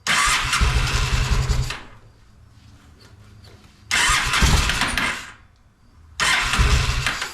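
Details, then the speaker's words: Honda Shadow motorcycle (possibly 650) that sat almost a decade, old bad gas, on choke with fuel sprayed in by syringe: short ragged firing bursts dying between attempts; runs only on primed fuel. "well I could sit there and spray it all day long and keep it running like that"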